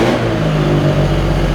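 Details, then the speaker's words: Autobianchi A112 Abarth 1050cc race-spec engine, converted from chain to cambelt kit, first run in years on choke: revs crisply and eagerly, great oil pressure, no knock; normal revving. "And it sounds really eager. It is more powerful than mine, I think."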